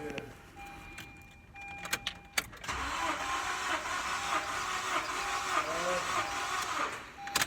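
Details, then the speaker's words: 2012 Honda Civic EX (9th gen), no-start auction car, cranking during a compression test that read about 150, 70, 70, 150 and 125 psi; uneven cranking rhythm with weak strokes; a bad motor is suspected. "we got 70 there 70 there we got 150 there and then we got 125 isch on the last one so we think we have a bad motor"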